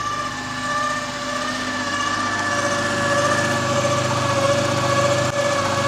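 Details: 2014 Dodge Challenger 3.6 V6 Pentastar, 100,000 miles, noise began after hard acceleration with a gear-slipping sound: steady high whine of constant pitch over a smooth idle, car drives poorly; whine of unknown origin.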